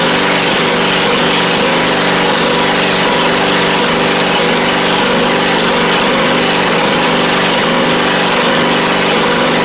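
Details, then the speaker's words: 2001 Poulan Pro (Craftsman) rider with Briggs V-twin, after carburetor cleaning to fix a fuel leak and slow running: steady, fairly brisk hum at even speed with no hunting or surging; running normally, a bit faster now. "It should run better now, a little bit faster, because it seemed like it was running a little on the slow side."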